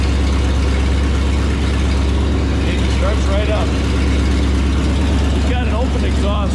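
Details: 1978 Ford F250 V8 not started for 5–6 months, after brake work: steady, even low rumble with no knocks, misses or stumbles, idling smoothly after starting; normal idle.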